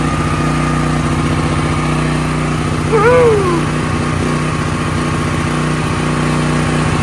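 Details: Brand-new DuroMax XP13000EH dual-fuel generator on propane after replacing the spark plug with an NGK: smooth, even governed speed with no popping or backfires; running normally, spark plug change was the fix.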